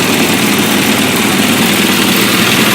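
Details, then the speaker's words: Freshly rebuilt 1380cc Mini engine with a test alternator and an exhaust piped outside. Smooth, even idle with a steady exhaust hum and no knocks, rattles or misses; quiet, no vibration. Normal idle. "But here we go. Beautiful, quiet, no vibration, smooth, shift through all the gears, no oil leaks. Looking very nice."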